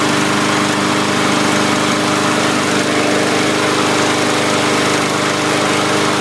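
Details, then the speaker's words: 2017 MTD push mower with Briggs & Stratton engine after carb clean, moisture suspected in cylinder, dirt daubers in breather: steady buzzy fast idle with even firing after unusually slow, stubborn start. "so that kind of had me worried really slow to start i don't think i've ever had one slow that slow after a carb clean"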